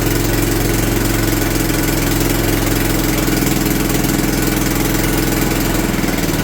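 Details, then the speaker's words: John Deere LT150 mower engine test-run after rebuild with a new governor: loud, rough idle, raspy puffing exhaust pulses, struggling to stay running; exhaust gasket leaking, owner suspects fuel pump for stalling. "having a hard time staying running though wonder if it's that fuel pump you can hear my exhaust gasket too leaking"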